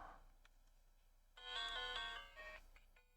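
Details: Red Game Boy Pocket that would not power on, after cleaning the power switch with IPA and fitting batteries correctly: clean, bright two-note startup chime over near silence; boots normally, audio works.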